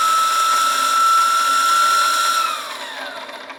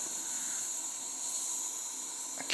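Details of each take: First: Wilesco T115 model steam turbine driving a motor shaft by belt, spinning down; high steady whistling whine slides down in pitch and fades over a couple of seconds, stopping faster from belt drag, stopped at about 27 PSI indicated; normal. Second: Wilesco T115 model steam turbine boiler just off the gauge pin at low pressure; steady, thin high-pitched hiss as steam escapes somewhere. Owner suspects a leak around the pressure gauge, not confirmed.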